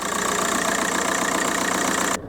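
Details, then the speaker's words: VW Golf Mk4 PD130 diesel after injector loom replacement and EGR valve refit, heard from inside the car in a shed: even idle, steady light clatter, no stumbles for about two seconds before sound drops away; no vibration; normal idle. "sat inside the shed and there's there's no vibration it's it's running just like it should run it's a pleasant place to be"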